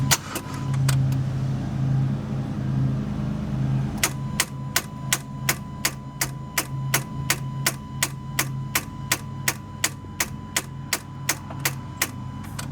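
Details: 2012 Kia Soul with a voltmeter on the battery: key on gives rapid even clicks, about two or three a second, and no cranking. A big voltage drop shows a weak battery, and a jump start got it running. Starter clicking from weak battery.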